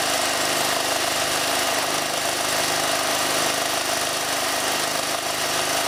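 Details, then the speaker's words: Ford Falcon AC compressor, removed, dry and overheated, shedding Teflon, run after an 80W-90 oil shot: harsh uneven clatter over a small engine's steady drone; labouring and seizing, shaft splines chewed off the swash plate. "oh all right all right it sounds a bit different oh i think it's officially seized"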